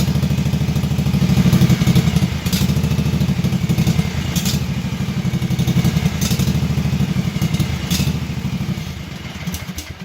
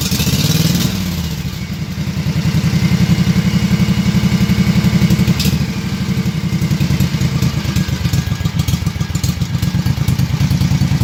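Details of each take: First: Kawasaki FH series small V-twin engine with single-barrel carburetor, idling low and uneven with a wavering, loping beat; rough idle from an incorrectly set idle mixture, fixed by adjusting the idle jet screw. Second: Kawasaki FH series V-twin engine, single barrel carburetor, previously rough at idle: engine restarted and screw slowly turned out until it smooths out, giving a steady, even low thump that briefly rises in speed and settles back.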